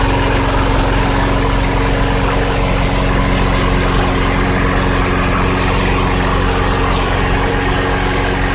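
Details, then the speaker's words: 2006 Craftsman 917.376160 push mower salvaged from a junk pile, bone-dry tank, run on sprayed carb cleaner, carburettor suspected bad: even, steady low drone with smooth beat, no misses or surging; engine running healthy. "okay well the engine runs actually it sounds good I have no idea what it's running off of that tank was bone dry pretty much"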